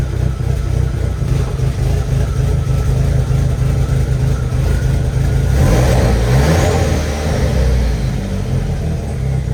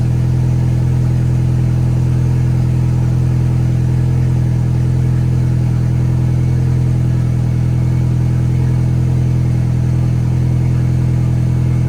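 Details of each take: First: 1.8T first start after rebuild, with a cam position sensor code: uneven, lumpy idle that stumbles when revved and runs rough and misfiring. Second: VW 1.8T first start, after correcting cam timing to 16 rollers (was 17): steady even idle hum, no stumbles, a little oil smoke burning off, tiny noise; runs smoothly, no misfire.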